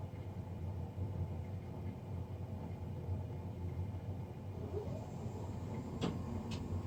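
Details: Navien NCB-240 boiler recorded three days after a Jan 31, 2020 service: low steady droning hum with a faint rough edge and a couple of sharp ticks near the end; unusually loud combustion fan noise.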